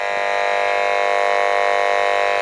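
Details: Homemade interference-tracing probe held near lights at sensitive setting: steady, harsh electrical buzz of constant pitch, radio-frequency interference radiating from the lighting.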